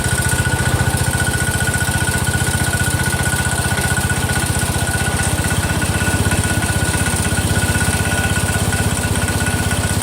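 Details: Rebuilt Kohler single-cylinder engine in a Cub Cadet 102 on its first cold start after the rebuild: a quick, even thump about four beats a second with no knocks or misses; the new motor runs smoothly and sounds great.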